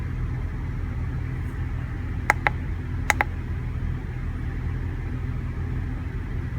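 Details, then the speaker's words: Van with a V8 idling roughly with a low, uneven rumble that won't settle; it jerked accelerating from stop signs, scanner shows no codes, owner suspects bad spark plugs. Rough idle. "yeah she's she's idling a bit rough so hopefully it's spark plugs"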